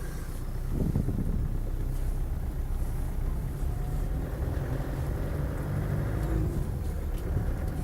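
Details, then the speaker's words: 1994/95 Land Rover Defender 90 300Tdi County Station Wagon diesel, 161,000 miles, warm after about 60 miles of driving: fires up promptly without a long crank, settles into a steady clattery idle; no hesitancy and no overheating. "Starts on the button. There's no hesitancy, and importantly, no overheating."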